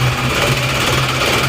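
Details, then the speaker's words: Isuzu Panther diesel, low power despite serviced nozzles, compression about 28 bar, just started after nozzle lines had been off: harsh hard clatter with uneven shaking beat; rough running from injection pump timing set too far advanced. "Oke, hidup, goyang-goyang. Ini belum dipasang. Suaranya galak ya, lalu maju timingnya."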